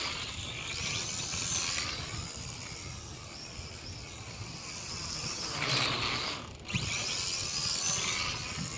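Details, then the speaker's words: MJ 103 quadcopter, an X5C clone, flying after a fall damaged its open drive gear: a high buzzing whine with a harsh rattle that swells with throttle, though it still flies. Damaged drive gear rattle. "Boy, that gear really got messed up in that fall. That's what I was saying about the open gears."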